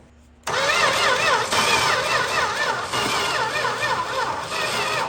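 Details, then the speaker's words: 1961 Valiant six-cylinder that sat 30+ years, points only sanded and battery probably weak: starter churns at an even, steady rhythm for about five seconds with no firing; cranks but won't start, cause suspected not confirmed. "I'm just going to crank it and see what happens now chances are points still might not work batteries probably still weak"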